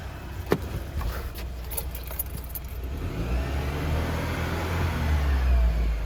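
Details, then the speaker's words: New 2022 Chevy Silverado LTD Custom 4x4, 2.7L L3B turbo four-cylinder, 8L90 8-speed: brief crank, then catches and settles into an even, steady low rumble that swells slightly; healthy normal start and idle. "I'll do a quick startup on this so you can hear what it sounds like."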